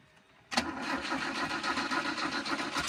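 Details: Car engine turns over with a rough, uneven cranking rhythm and never settles into a clean idle, with backfire noted; hard starting.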